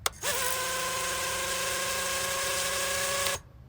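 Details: FPV quadcopter on a ground test while diagnosing flips on takeoff: motors arm with a chirp, spin up quickly to a steady high whine for about three seconds, then cut cleanly; smooth, even normal idle on all motors.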